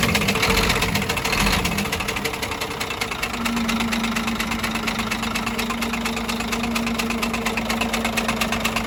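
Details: Scania DC13 truck diesel at idle with a sharp metallic knock about twice a second, traced to cylinder 5. Camshaft undamaged; the knock came from broken, unbolted rocker arms moving freely and marking the cover.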